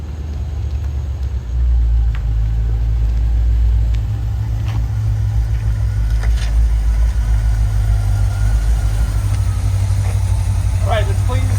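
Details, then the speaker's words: 1970 Chevy C10, sat disassembled over two years, after new distributor module, cap, coil and carburetor attention: deep, steady rumble holding an even idle with no stumbles, misses or knocks; running healthy. "so uh now she's running and driving"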